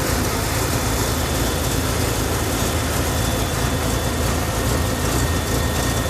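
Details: BMW E38 750i M73TU V12, started from cold at +8°C: uneven, lumpy idle under a thick rumble with occasional stumbles. Random misfire in all cylinders shakes it at idle but not when driving, with no power loss; cause unknown.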